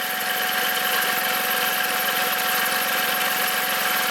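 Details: VW up! 1.0 MPI 44 kW, 2012, engine CHYA, idling: steady high-pitched squeal from the accessory belt drive that disappears when sprayed with water; serpentine belt squeal, fixed by replacing belt and tensioner.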